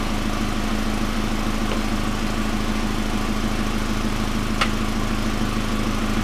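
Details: 1999 Pontiac Grand Am, rebuilt GM LD9 2.4 Quad 4 after first start-up, no alternator running: smooth even idle, steady low hum, no belt whine, chirp or knocking; clean-running engine, AC compressor clutch confirmed as the earlier noise.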